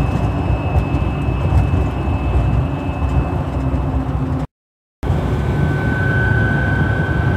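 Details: 2011 GMC Sierra Duramax turbo diesel at cruising speed, heard in the cab: steady high whistle holding pitch over road rumble, wind across the aftermarket LED light bar fins rather than the turbo; fix is door edge molding along the fins.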